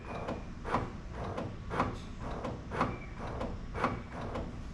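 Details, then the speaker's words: 2004-2008 Acura TL / 2003-2006 Honda Accord: about five short clunks a second apart as the trunk release is pressed, actuator engaging but the lid stays shut; bad trunk lock latch actuator. "if you can hear it engaging or trying to disengage and then the trunk still will not open then that mean that you have a bad lock latch actuator"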